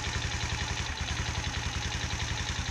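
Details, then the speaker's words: Viper Active small single-cylinder engine at idle: sharp, regular metallic knock with each beat, worse when cold, fading as it warms; new head, piston kit, chain and crankshaft, rod fine, cause unknown. "привет youtube такой вопрос стучит что тоф двигатели не знаю уже шел перебрал все головка новая поршневая новая цепь новый коленвал не люфтит шатун нормальный все равно стучит"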